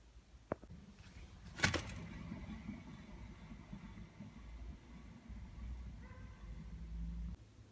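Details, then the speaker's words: BMW E38 hub bearing spun by hand after a couple of handling knocks; it turns almost silently with a faint, even hiss, shown as the healthy bearing beside a faulty one. "вот так вращаются неисправный подшипник ну а так вращается исправный подшипник"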